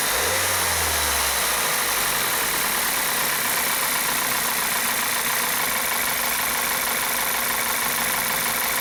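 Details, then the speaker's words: 2012 VW CC that misfired, shook and stumbled with cam timing codes (P0341, P0016, P0300): after installing a new oil control valve and gasket and retiming, it starts and settles to a steady idle with a hissy top end, no misfire. "see this thing was running pretty bad before it would misfire and shake and stumble and it was running so bad it barely pulled in the bay let's see how it runs now"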